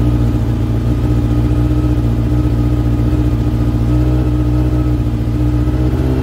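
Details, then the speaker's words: Brother's motorbike, battery charged a couple of hours on a mains charger, started on the key after transport: fires and runs smooth and even, steady low drone with light revs, no knocks or misses; started and ran beautifully, normal. "Okay, so that started and ran beautifully."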